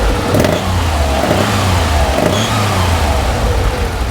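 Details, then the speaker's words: Porsche 911 SC air-cooled flat-six, customer suspected broken head studs: uneven, stumbling note as the throttle opens, an ignition breakup on one cylinder, being checked with a pressure transducer. "I do have a breakup so I've got a little bit of an ignition breakup"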